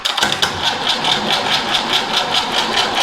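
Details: Land Rover 2.25 diesel, long stored and tried in a Santana chassis in neutral: the starter churns at about two compression beats a second and it never fires. Afterward the injectors are cracked to bleed the fuel; cause not confirmed.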